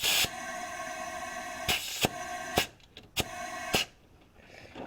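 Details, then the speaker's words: Leak-down test on rear cylinder of a misfiring engine, rocker loosened and valve opened: steady airy hiss out the turbo/exhaust with sharp clicks, leaking valve, possibly head gasket; head must come off. "so we got a valve leaking unless we blowed the head gasket now that could be a possibility too but either way the cylinder head's gonna come off"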